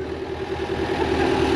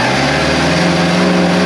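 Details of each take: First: 2002 JLG 86T lift diesel engine, first start after work on a suspected blown engine: steady low idle with even firing, slight rise in level, no knocks or misses; minor fuel leak on top; normal diesel idle. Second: 2002 JLG 86T lift diesel, after new actuator: runs clean but revs keep climbing and hunting up and down, not governed; owner suspects speed sensor, actuator didn't fix it. Engine over-revving.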